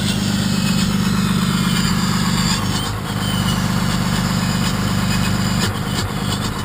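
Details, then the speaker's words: 1993 Dodge W350 with 6.2L Cummins, about 200 miles on the new motor, idling with the exhaust brake: the tone dips and returns every few seconds as the brake kicks on and off; the switch is intermittent, and unsoldered switch wires are vibrating. "got my switch seems like it's not holding up very well it's kind of intermittent and kicking the exhaust brake on and off"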